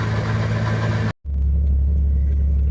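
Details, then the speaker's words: 2001 Porsche 986 Boxster S 3.2 Tiptronic fitted with a pair of 48 mm dB killer baffles to stop exhaust drone. At rest there is a low, even exhaust rumble with little boom or rasp; the idle is quiet. "okay it rest it's pretty quiet you can hardly hear it"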